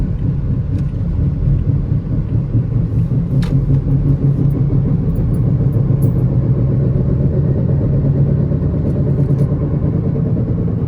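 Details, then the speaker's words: 2016 Toyota RAV4 driving, deep steady growl under road noise that changes with speed, felt through the floor; suspected right front, traced to the right front wheel bearing. "And as you can hear, this thing's making a really bad noise. I suspect it's coming from the right front."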